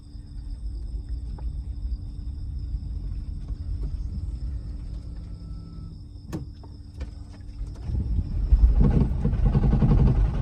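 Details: Toyota Prius while driving: heavy deep rumble that gets noticeably louder toward the end; abnormally loud noise, an ignition coil or spark plug problem suspected, not confirmed.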